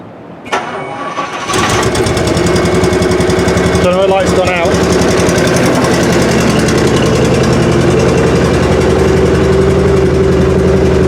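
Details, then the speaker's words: 1979 Rolls-Royce Silver Shadow after converting from the factory CAV alternator to a GM Delco Remy 10SI: brief crank, then an even, steady idle with no knocks or misses; 13 volts at the battery, so the alternator is charging and all works. "And I'm getting 13 volts at the battery. So the alternator is working, everything's working."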